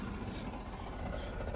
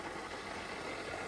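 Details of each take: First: Holden VY Commodore manual, sat for years, first idle with no radiator: rattling whir on top of idle drops away once the clutch is pressed; engine fine, noise is in the gearbox. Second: Holden VY Commodore neglected and sitting for years, first run after coolant refill and bleeding: idle with loud, busy top-end mechanical clatter; noisy engine, source not identified.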